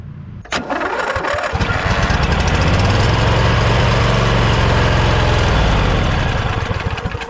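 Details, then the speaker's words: Snapper LT200 riding mower cranking with no start: steady starter chug about four strokes a second, no firing; gas not being drawn through fuel filter, fuel delivery issue, fuel pump suspected, anti-kickback solenoid considered. "It's not happening now. You can see gas isn't being sucked through this fuel filter."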